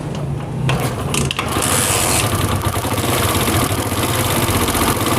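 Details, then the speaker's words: Chinese CD70 motorcycle whose head noise on deceleration after revving came from damaged cam sprocket teeth: after repair it starts and settles into a steady, even putter with no top-end ticking. The noise is much improved; healthy idle. "यहां पे दोस्तों आवाज़ जो है वो काफी बेहतर हो चुकी है इसकी रेस देकर छोड़ दे के ढाबा छोटे रे छोड़े"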